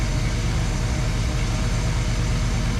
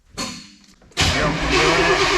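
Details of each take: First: 1994 Chevy big-block V8 tow truck, sat for years, just given a new transmission: deep steady low rumble with an even beat and no knocks or misses; idling smoothly and healthy. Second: 1994 Chevy tow truck that sat for years in the woods, now with a new transmission: steady starter cranking that never catches. No spark found and no fuel pump heard, so crank-no-start.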